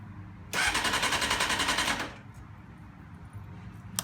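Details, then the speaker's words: Rebuilt crashed 1991 Honda CBR600F2 in neutral with the side stand down. About one and a half seconds of fast, even starter chatter stops without firing; it cranks but will not start because the kill switch is off. "Yeah, it'd be good if I had the kill switch on."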